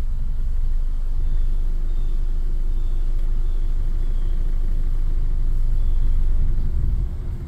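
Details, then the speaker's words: 2008/2009 Toyota Camry with check engine light and starting problem, warmed up to 186°F coolant: rough, shaky idle that sags and dies once the AC is switched on, then restarts shaking badly; worse when hotter; engine stall under AC load. "there you go dice so it turns off let's see if we can get it to start up again starts up shaking pretty bad"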